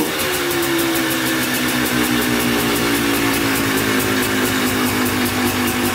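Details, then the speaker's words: Polaris Trailblazer 250 two-stroke quad, first start on choke after cheap eBay top-end kit, new air filter and carb rebuild, break-in throttle blips: crisp buzz rising and settling with an even beat; starts right up, stays running, normal. "all right started right up sounds pretty good um actually stays running so that's good"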